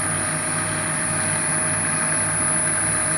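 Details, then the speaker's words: Upgraded drill press on a VFD inverter drive with new belt, test run at reasonably high speed: steady, even hum with a faint high electronic whine from the drive, no knocking or wobble; smooth, vibration much lower than before. "that sounds really smooth it's nice in terms of vibration way lower than before"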